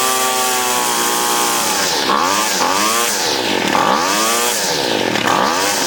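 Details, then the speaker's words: 25cc Featherlite Weedeater string trimmer after carb cleaning and new fuel lines: small two-stroke surges up and sags back about every 1.5 seconds, never settling; high and low mixture screws need fine tuning. "It actually needs fine tuning with the high and low mixture screws, but I don't have the proper tool to do that."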